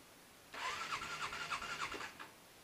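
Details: Motorcycle that starts rough and cut out while riding, in extreme cold below -10: about one and a half seconds of labored cranking with a few rough pulses, then it dies without catching. Owner suspects the battery; hard starting.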